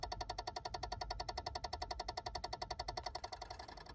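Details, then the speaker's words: Peugeot 107 / Citroën C1, engine off, failed electric power steering ECU plugged back in: quiet, even electronic ticking about four times a second. Steering is also very heavy with the red power steering light on; fix is replacing the unit. "And yeah, every time the vehicle is off, I get this weird like ticking noise basically."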